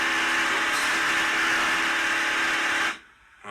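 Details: Ender 3 S1 Pro 3D printer: loud, harsh buzzing grind from the Y axis as the failed limit switch lets the stepper motor keep driving; fix is replacing the Y-axis limit switch.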